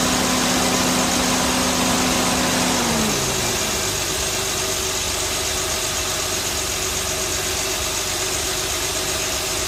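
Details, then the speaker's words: 2008 Honda Accord after replacing power steering O-rings to cure a cold-start groan; engine settles into a smooth, even idle with no groan, whine or knock; normal idle. "Shouldn't make any sound. It's not gonna sound any different than it did."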